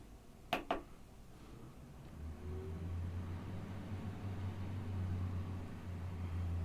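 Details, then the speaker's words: Finished Starvent 11-inch powered 6-speed roof vent install in a vintage camper: switch click, then a soft, steady low hum, quiet with no rattle or rub; fan running normally at low speed. "So we can turn it on. Done. Level 1. Level 2."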